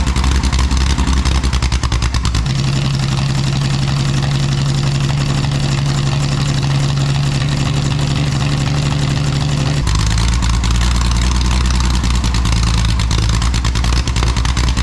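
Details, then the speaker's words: Scratch-built Jaguar D-Type replica with a homemade exhaust, recorded without its built-in silencers: deep, very loud rumble with a crackling edge, climbing in pitch as revs rise. Fitting the silencers removes the cracking. "I'm going to show you a recording of This exhaust system without the built-in silencers and then one with so that we can hear what kind of a difference it makes"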